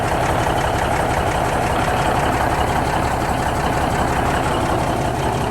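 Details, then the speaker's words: 1971 Peterbilt 352 diesel after air tank replacement, building air pressure to about 15 psi, oil light out, fed from a 5-gallon jug: steady, even low rumble at idle, no knocks, misses or air leaks. "So I don't hear any air leaks. Man, listen to that thing. Sounds good."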